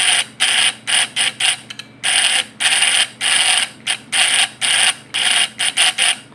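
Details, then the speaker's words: Points-type (platina) PS fish-shocker vibrator inverter: harsh high buzzing in erratic stop-start bursts; vibrating points mean the adjustment is too loose and must be tightened slightly. "Nah, jadi di sini dia kalau bergetar gitu tandanya setelannya kendor. Jadi harus kita kencangkan sedikit dengan setelan kita."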